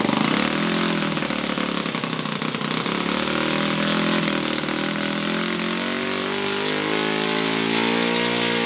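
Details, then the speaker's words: Yamada (Futaba) YS F 120 four-stroke glow engine on a test stand after a full rebuild (combustion chamber buildup, piston and ring problems), Yamada No. 4 plug: strong steady buzz rising cleanly in pitch as throttle opens, no misses; normal running, very powerful. "So in general, this is really a great engine, very powerful, with the highest possible top speed, and really I'm very satisfied with this test."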